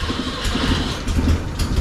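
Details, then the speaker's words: 1965 Datsun 320 carburetor engine, back running after 20+ years, with far too much fuel pressure: steady, fast drone that holds well above normal idle without settling; idle is too high, and a fuel pressure regulator is needed before tuning. "Yeah. Idle's way too high. Okay, well, I need a fuel pressure regulator."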